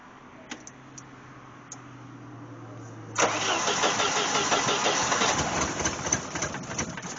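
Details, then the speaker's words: 1988 Jeep Wrangler 2.5L, cold start at about 43°F with new plugs: the engine catches but runs lumpy and stumbling with the rear cylinders not firing, only some cylinders working. Misfire on cold start; suspected timing issue. "I would say that's no better so we're still not figh on those rear cylinders"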